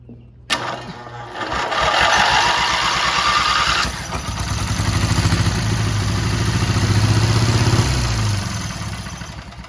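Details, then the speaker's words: 12.5 hp flat-twin Briggs & Stratton industrial engine stored 25 years, gas poured in: coughs, catches after a starter crank and settles into a steady even chug; runs after long storage. "Well, guys, now that we know that it runs, I guess it's time to, you know, reassemble it."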